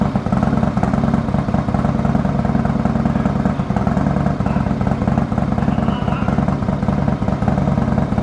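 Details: 2020 Harley-Davidson Road Glide Special, Milwaukee 8 with freshly installed S&S 475C cam and D&D Billet Cat 2-into-1 exhaust, first cold start: deep loping beat about three pulses a second, even and steady, no ticking; normal cold idle.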